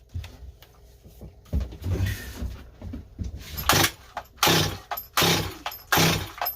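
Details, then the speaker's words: Rebuilt Stihl 025 chainsaw with new Meteor top end won't start: several rasping cord pulls about a second apart, never firing once; vacuum/pressure test and air leak check planned. "honestly yeah no she doesn't want to go not going to go you guys"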